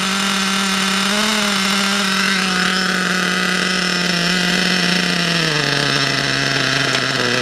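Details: RC nitro engine, unused about a month, after new glow plug, new fuel and adjusted high, low and idle needles: high steady buzzing drone with small pitch shifts, no misses; running cleanly.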